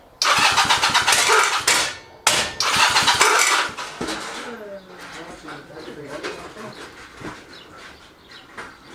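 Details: Chinese clone of Honda Rebel 250 engine, cranking: two bursts of harsh scraping grind from the left case as starter spins without engaging, then weak uneven run; faulty starter clutch.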